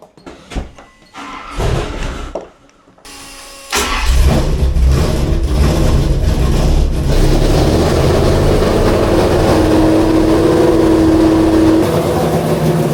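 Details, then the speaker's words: Engine with six-barrel carbs (88 jets front and rear) on test run: cranks, catches, then uneven loping fast idle with stumbling beat, running very rich; four cylinders not working, no spark suspected rather than wires; misfire. "four cylinders are not working two here and two there wires I don't know but it's running very very rich on idle"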